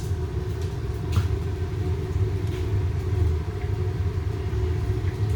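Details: Rocket-style waste oil burner heater with an 8-inch exhaust, oil flow cranked up from low: a steady, deep roaring rumble with no surging or popping, an even flame, clear exhaust, and the burn bowl at about 600. Normal burner roar.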